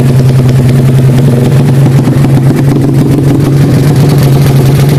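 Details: Karisma built to 160 cc with a racing camshaft, PWK 33 carburetor, 29/24 valves and open pipe: the single thumps at a fast idle with a slightly uneven, choppy beat. The lumpy idle comes from the camshaft.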